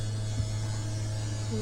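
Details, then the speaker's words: Toyhauler RV slide-out, spring maintenance, sofa slide extending: low, steady electric motor hum with no grinding or bogging, seals coming out; operator releases button on grinding or motor drawing down; normal slide-out operation. "Sounds like the seals are coming out on it. Another thing I do is soon as I hear that grinding or the motor drawing down, I let off the the button."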